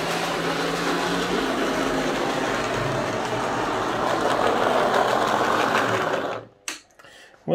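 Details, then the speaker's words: Lima Class 55 Deltic model loco, secondhand non-runner, after cleaning and oiling, before gear work: runs but loud coarse steady buzzing whir, far too noisy; rough gear mesh from flash on gear teeth. "fine but it is very noisy uh which surprises me actually that's that bad"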